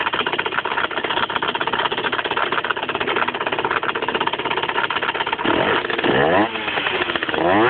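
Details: 50cc motorcycle engine at idle: a fast buzzy idle with an uneven rattle, then a few throttle blips. The noise also occurs when pulling the clutch and at low revs, and appeared a month after the engine was opened to replace the crankshaft and clutch. Cause unknown.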